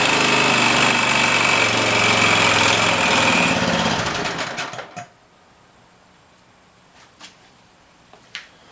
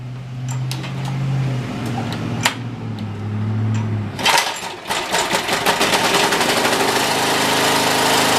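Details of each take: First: OHV Briggs and Stratton engine after fixing a broken mounting bracket: small single cylinder runs with a fast, even beat for about four seconds, then winds down and stops; running normally, shaking a little. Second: OHV Briggs & Stratton engine on a water pump, run briefly dry at full throttle: even at first, then a coarse rattling rumble builds; suspected loose bolt, found broken engine mounting bracket; engine vibration from broken bracket.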